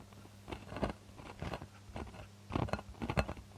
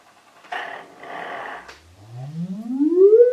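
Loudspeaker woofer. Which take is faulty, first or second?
first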